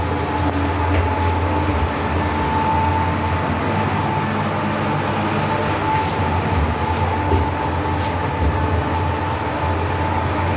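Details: Fujitec lift (Lift A), 8-person/540 kg, floors 1-11, Blk 410 Choa Chu Kang Avenue 3, Singapore, filmed Dec 2022: steady low hum, constant mid-pitch whine and sporadic light ticks through the whole run; abnormal travel noise, cause unknown.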